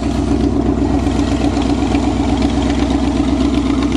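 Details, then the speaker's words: Chevrolet car that had run out of gas, refuelled and restarted: steady, even idle with a smooth regular beat and no misses, stumbles or knocks; it now runs normally. "now that's what a chevy is supposed to sound like see it was just out of gas"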